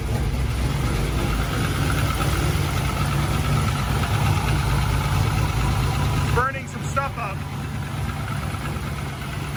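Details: LS V8-swapped Miata, first start in 7 months after Mishimoto radiator install, cold; deep choppy loping idle around 1000 rpm (set 850) from big cam, good oil pressure, running fine.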